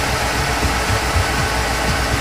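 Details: Ford 351W V8, brand new engine with about 500 miles, after the rear main seal was moved about half a millimetre to fresh metal: a steady, even low idle rumble with no squeal or scraping.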